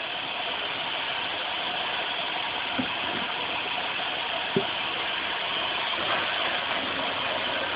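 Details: Dodge Caravan / Chrysler Town & Country with 3.3/3.8 V6, after the power steering reservoir (clogged screen) and fluid were replaced: it idles evenly with a steady hiss and no pump whine or grinding.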